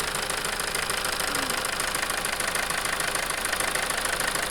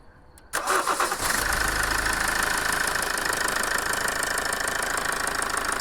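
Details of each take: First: Toyota 2.2 diesel at idle with rough idle and loss of power: uneven sharp knock about three per second over a rough clatter from a faulty injector, which was replaced. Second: Toyota 2.2 diesel after replacing a faulty injector that caused rough idle and power loss: engine catches after a short crank and settles into an even idle with steady light clatter, running smoothly.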